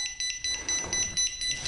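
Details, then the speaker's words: Pride Jazzy Air 2 power wheelchair with seat lift raised: rapid shrill beeping, about three to four beeps a second; a seat leveling sensor fastened too tight stays stuck down and triggers the alarm, fixed by loosening the sensor. "now what can happen is sometimes if these are too tight it won't go up when the chair goes up one might get stuck down and will trigger the sound"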